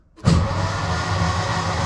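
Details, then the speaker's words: 1952 Volkswagen barn-door bus ambulance with its 25 hp engine, rebuilt after a case leak repair, oil primed and showing oil pressure: steady, even starter cranking with a regular low churn and no firing. Crank, no start, no spark. "Oven Boy's trying to get us another coil so that we can potentially get this thing fired up."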